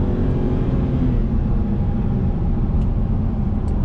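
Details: BMW E90 N52 after VANOS solenoid work: deep even rumble pulling steadily at full-power acceleration, no clatter or limiter-like cutting around 4,000–5,000 rpm as before; secondary vacuum pump issue remains.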